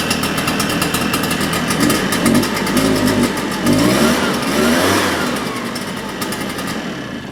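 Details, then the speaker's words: Shindaiwa EB802RT two-stroke backpack leaf blower after carburetor-related repair: idles, then climbs cleanly in pitch and drops back without stumbling or cutting out; the acceleration problem is solved. "sounds like that solved our acceleration problem"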